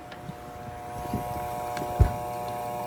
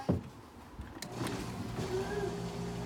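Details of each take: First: Bosch dishwasher hums but will not start: steady low electrical hum, no spin-up, wash motor stalled because its start capacitor is blown. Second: Bosch dishwasher that hums but won't start, defective capacitor found: the wash motor runs with a steady low hum, faint even tone, no grinding or buzzing; normal wash motor running.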